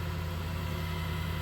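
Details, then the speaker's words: Wen 3420 variable-speed 8x12 mini wood lathe, first start-up, speed increased a little more: low steady even hum, no knock, wobble or rattle, no vibration felt; motor running smooth, normal. "Again, no vibration felt at this point. Smooth."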